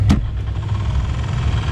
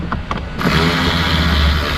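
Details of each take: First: Vehicle at 155,793 miles, blower fan dead on all speeds: after wiggling the connector a click then steady low hum as the blower motor kicks in; black soot shows worn brushes hanging up intermittently. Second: New universal replacement blower motor installed after the old one's brushes wore out: spins up quickly into a smooth steady rush of air, no squeal or rattle; bearings and bushings good.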